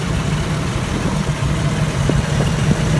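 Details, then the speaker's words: 1984 Toyota FJ60 with 2F engine, de-smogged, header swapped back to the OEM exhaust manifold: fired right up first time and holds a low, even, smooth idle with no knocks, misses or hunting. "i've already done a little test start up fired right up first time and uh you will definitely hear how smooth this thing is here in just a second"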